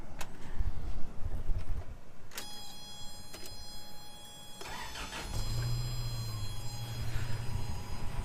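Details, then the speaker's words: 1986 Toyota 4Runner, first start after engine replacement with new alternator: starter cranks, engine catches and settles to idle with light quick ticking; rocker clatter, rockers adjusted twice but need readjusting again. "of the rockers twice but I need to do it again there is a little flatter"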